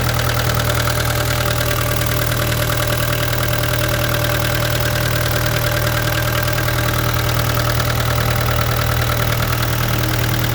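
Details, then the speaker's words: 2013 Vermeer SC602 stump grinder, rebuilt Cat 2.2 L 3024C diesel with rebuilt injection pump, 1,040 hours on meter, under an hour since rebuild: steady, even idle with smooth low rumble, no knocks or misses; healthy and settled. "Cat 2.2 liter 3024C, solid engine. You hear it when we fire it up, sounds good."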